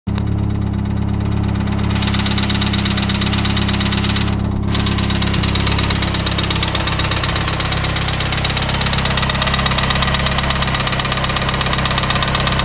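Steady idle with a loose, uneven tapping riding over the engine note, roughly three a second; a knock is present but its source is unclear.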